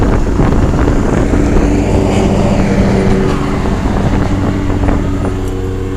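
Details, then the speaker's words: 1987 Carrier Round One 3-ton straight-cool central air condenser, running after startup: steady low hum with constant tone, compressor barely audible, no knocks or rattles; normal condenser running. "Yeah, you can just barely hear the compressor going. Carrier high efficiency, or Carrier Deluxe high efficiency."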